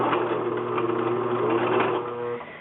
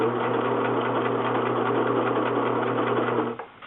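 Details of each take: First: A Singer 6412 Millennium Series sewing machine sewing under motor power gives an uneven, rough skipping grind over its steady whir. The sound comes from a loose screw inside the right side. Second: Singer 6412 Millennium Series sewing machine after repair: steady stitching with even motor hum and needle patter, no grinding or skipping from the right side as before the fix; then stopping.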